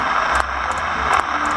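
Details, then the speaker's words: Old 23-channel SSB CB radio, said to have been recapped, on a signal generator: a constant hiss with sharp crackles about every half second on all modes. A leaking capacitor in the audio channel is suspected, probably at the amplifier to the speaker. "There's the audio coming in, but here's the background noise, and it's kind of scratchy and making some funny noises, so it sounds like there's still a capacitor or two maybe leaking in there somewhere in that audio channel."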